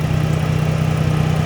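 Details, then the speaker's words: Dodge Journey engine at idle with battery negative reconnected in an alternator test, charging about 14 V; idle surged only when disconnected: steady, even low hum with no surging or dips in revs; idling smoothly. "and look at that it's a completely smooth idle completely smooth idle"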